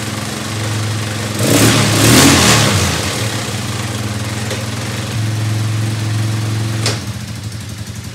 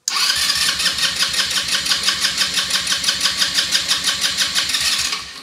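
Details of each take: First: Elstar 150cc single-gear 2WD quad bike revived after sitting in a shed, with a leak at the carburetor bottom: catches, revs briefly, holds an even beat, then drops to a lumpy, uneven idle, possibly from running out of fuel. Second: Elstar 150cc four-stroke quad bike, long stored, in neutral with a previously dry tank newly filled with petrol. The starter cranks evenly at about three beats per second for five seconds but it never fires. Owner suspects fuel has not yet reached the engine.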